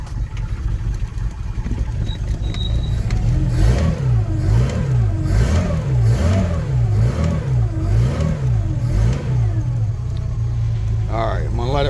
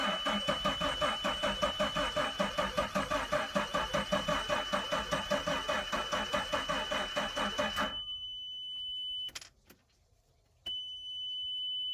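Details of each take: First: Carbureted Volvo Penta V6/V8 marine engine with a Holley carburetor and electric fuel pump, started for winterization service: catches, then quick rev blips rise and fall cleanly before settling to a steady, healthy run. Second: Volvo Penta V6/V8 boat engine on water muffs during winterization: starter churns evenly about two and a half turns a second, never catches, then a steady warning tone; kill switch was engaged.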